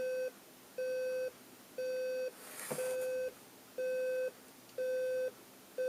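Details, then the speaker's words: General Electric 7-4809A clock radio alarm set to bells: steady mid-pitched beeps about once a second, half-second on and off, getting louder; alarm works normally. "sounds like it's getting louder yeah it's getting louder a lot louder"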